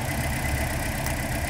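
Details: 2012 Toyota Corolla running rough with a dead misfire (P0300): steady low idle shows no rpm change when cylinder 4's coil is unplugged, so that cylinder is dead from a faulty ignition coil.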